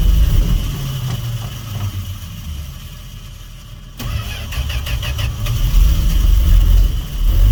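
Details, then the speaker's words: 1968 Fargo D100 truck, cold snowy night start after sitting 24 hours, no choke, jump-started after a weak battery: catches and settles into a rough, loping cold idle with throttle blips; normal cold-engine running. "yeah there we go it is cold listen to that baby oh come on girl i know she's cold"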